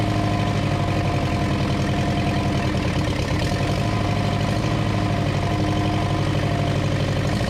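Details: 1934 Ford chassis with 1960s Buick Nailhead V8, first run in about 40 years, fuel poured in because the accelerator pump isn't working: deep, steady, even rumble with a strong low-end beat, no misses or knocks. Normal running.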